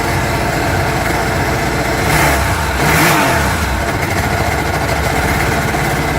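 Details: Exp Sea-Doo engine runs at steady rpm, then on two short throttle blips stumbles and sounds uneven as the center cylinder drops out each time it accelerates; misfire under acceleration.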